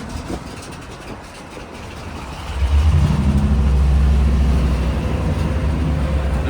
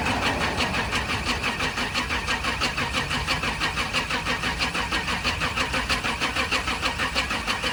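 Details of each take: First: Auction-bought 1998 C3500 HD 454 V8 bucket truck, first start after probably four years sitting: uneven idle, throttle blip, then a lumpy, hunting idle. Owner thinks it's relearning; a massive leak up front, possibly coolant. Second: 1998 Chevrolet C3500 HD 454 V8 bucket truck, after sitting: starter turns engine over evenly, about three compression beats a second, for eight seconds without firing; spins freely.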